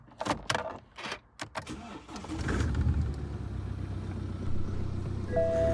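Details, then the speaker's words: £250 2011 BMW 1 Series E87 LCI 118d diesel that had been sitting, with warning lights on: engine catches quickly and settles into a steady, even idle with no timing chain rattle; clean, healthy start. "Fired up nice. Let's have a quick look under the bonnet. There's no rattling from that chain. It sounds as good as gold, which is a really good thing."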